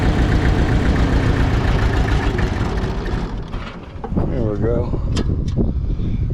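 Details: Mitsubishi BD2F dozer four-cylinder diesel just revived after years: low, uneven chug that stumbles and sags then picks up; running rough, suspected air not bled from all injectors, not running on all four.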